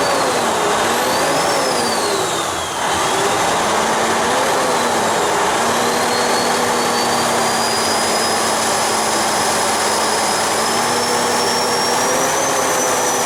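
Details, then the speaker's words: Freightliner truck diesel with a new turbocharger fitted the previous night, boost check before a test drive: steady running with a clean rising turbo whistle, no flutter or rattle; turbo spools up normally. "this is the one we put the turbo on last night so i'm just making sure that the boost comes up on it i'll take it for a drive here after a bit but i can already tell right now the sounds good"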